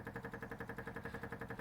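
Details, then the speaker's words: MGB GT, engine off, car on stands, owner hunting a suspected petrol leak: rapid steady ticking of the electric fuel pump about nine beats a second, never stopping; fuel pump running continuously, cause not yet found. "all right we've got the club on stand so we can see under there a bit better and you can hear the fuel pump going like mad"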